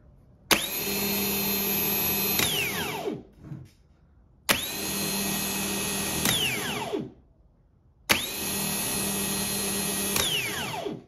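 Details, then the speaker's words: Starter motor removed from a truck and bench tested: three two-second bursts of clean, steady high whine winding down smoothly. It is a healthy starter, and the wires stayed cool. "and that's what a healthy starter sounds like"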